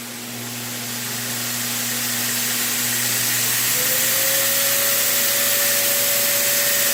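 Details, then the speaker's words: Prototype 2x72 belt grinder vibration test spinning up to full power, nickel standing on edge doesn't move; smooth airy hiss building to a clean steady whine with no knocking or wobble, normal low-vibration running. "Full power. Nickel hasn't moved. Just in case you think I've glued the nickel, here you go."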